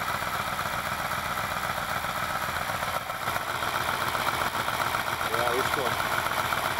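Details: Alfa Romeo Montreal, first run after head gasket repair, valve stem seals, oil leak fixes and Spica pump drive pulley bearing replacement; well-worn engine: steady even idle with smooth continuous hum, no knocks or misses, better oil pressure. Normal idle.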